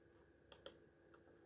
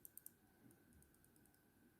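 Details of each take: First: Mouse after soldered replacement of clicking button switch: quiet, crisp single clicks in close pairs, no double-clicking or mushiness; left and right buttons working normally. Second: Computer mouse button clicked for comparison: light, soft clicks with little snap and almost no resistance, unlike the good button. The microswitch is worn, and the fix is to desolder it and replace it.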